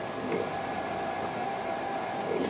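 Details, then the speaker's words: MaxNC CL CNC control board with closed-loop quadrature steppers, shorted MOSFET removed, X axis moving: thin steady high whine, weaker in one direction as one coil isn't activated without its MOSFET; stepper motor running with missing driver MOSFET. "here it sounds different one side and then here let me go back the other way doesn't sound as powerful going that way well i'm thinking it's because one of the quills doesn't be activated by the mosfet"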